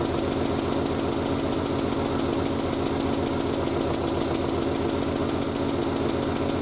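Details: Triumph Spitfire after single-carb conversion, about a minute and a half after starting, already off choke and still steaming from the exhaust wrap: steady, even idle with a faint regular knock from the bonnet flapping, not the engine; sounds healthy.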